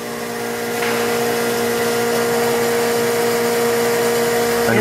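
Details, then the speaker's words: Turnkey industrial RO system at first start-up: feed pump hums steadily with a clear constant mid tone as it pressurizes the pre-treatment feed and displaces air from transport, before the pressure switch (set about 80 psi) stops it; normal pump running. "you can hear the pump is starting to pressurize the feed and it's going to displace the air that came into the system during transport"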